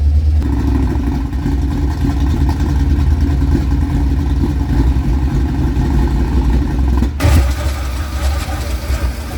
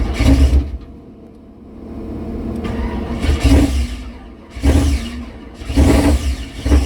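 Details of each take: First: 1976 K5 Blazer that sat 5-8 or more years, oil black and unchanged: a deep steady idle rumble, then a clean rev near the end with no misfires or knocks. Confirmed runner. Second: Mystery 1976 K5 Blazer that sat 5–8 or more years, on a freshly charged battery with black oil. Repeated starter bursts with brief coughs but it never runs. Crank-no-start, possibly not enough fuel yet.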